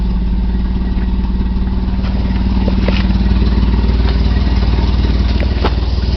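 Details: 1990 BMW E34 520i, M20B20 engine with LPG/petrol conversion, cold engine: low, lumpy idle with uneven thumps and clatter on top; won't start on LPG, barely starts on petrol. Owner suspects failing fuel pump; fuel light always on, gauge dead.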